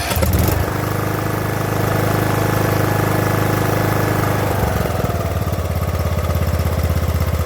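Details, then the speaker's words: Craftsman LT2000 riding mower that had sat about a year, after a carburetor replacement and a slight idle increase: low even putter settling into a steady slow idle with no more hunting or surging. "and now she even runs really smooth at low idle so in the beginning of the with the old video carburetor you heard it hunting that's all taken care of"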